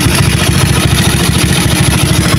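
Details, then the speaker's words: Motorcycle with a freshly set PWK racing carburetor: quick, even single-cylinder idle that returns straight down after throttle and stays steady without hanging; setting judged right; normal idle. "Nah untuk karbunya enak ya langsamnya ketika digas langsung turun itu menandakan bahwa settingannya sudah pas ya"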